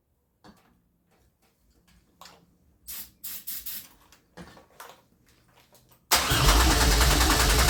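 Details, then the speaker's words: 2004 Grand Am with 3800 supercharged V6 and 5-speed swap, first start attempt, key on: the starter turns the engine over steadily for a couple of seconds, but it never catches or fires; cranks with no start. "It is not wanting to start now. She was so close, so close."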